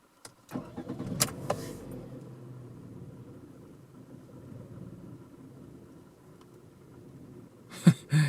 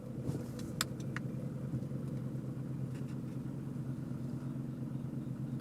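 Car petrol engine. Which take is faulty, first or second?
first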